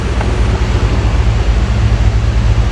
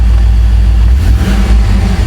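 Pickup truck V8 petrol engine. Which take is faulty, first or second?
second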